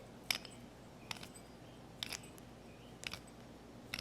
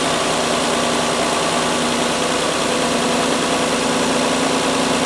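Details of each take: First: Rough, binding idler pulley bearing on a 19-year-old, 125,000-mile Mazda 626, removed from the engine and spun by hand: gritty scraping bursts about once a second, the pulley barely turns; replaced along with belts and the other pulley. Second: Mazda 626, stone cold engine, after replacing a badly worn 19-year, 125,000-mile idler pulley plus the other pulley and both drive belts: smooth, even cold idle, much quieter, no squeal, rattle or knock from the belt drive; normal idle.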